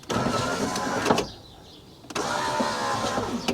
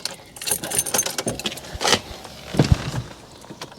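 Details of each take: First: Rover 200Vi power window after a temporary repair inside the door, speaker removed, while a replacement part is awaited: two smooth, even motor whirs of about a second each, stopping cleanly with no grinding or binding; window works for now. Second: Rover 200 Vi power window, ignition on: short bursts of motor whirring inside the door with faint clicks, but the glass barely moves; window regulator runs but glass stays put, suspected to have jumped its rails.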